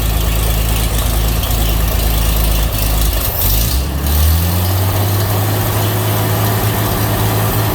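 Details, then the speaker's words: 1936 Chevy pickup, open exhaust with no exhaust system yet, splash-lubricated dipper engine; low heavy idle wavering and dipping in speed, rough idle, owner doesn't know why. "but you can hear it runs kind of idle's kind of rough i don't know why but uh"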